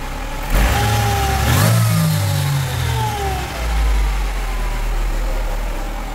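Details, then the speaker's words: 1998 Mercedes SLK230 R170, M111 Kompressor engine, after ECU damaged by central locking module CAN short was replaced with a cloned unit: engine climbs cleanly through quick blips and returns to steady idle, no stumble; idle hunting fixed. "So that's happened and now that the engine is running perfectly and can rev up perfectly as well."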